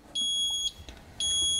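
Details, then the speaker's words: Fisher & Paykel MW511 washing machine sounding its error 130 (10000010) alarm: two long high-pitched beeps about a second apart with ER code displayed, after intermittent water fill; rotor position sensor fault in Smart Drive motor. "so it would do this for a while until eventually it would stop and start beeping so it usually happens a bit quicker if I just turn this so now it's beeping with the ER code displayed across"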